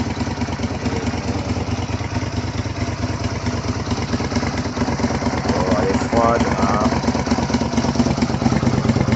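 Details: 2004 Suzuki SV 650 (SVS), after fuel pump replacement: the twin settles into an even, steady idle with regular low thumping and no misses or knocks. The engine runs healthy.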